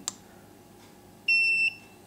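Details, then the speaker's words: Xiaomi electric scooter at power-on with the brake lever disassembled and its magnet displaced from the sensor: repeated high warning beeps showing error 15; the beeping stops once the sensor and magnet are realigned, and a poorly glued or shifted magnet or sensor is the cause. "it is beeping sometimes it is not correctly glued this magnet so the error 15 can come up just because it's out of the place"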